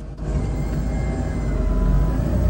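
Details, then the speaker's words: Motorhome with engine running, shifted into reverse: thin, steady whine from the hydraulic pump as the ram releases the auto-park brake on the driveshaft; normal operation, showing the green switch is working. "I'm gonna put in reverse and we're going to listen you're going to hear a wine that is the hydraulic pump here we go"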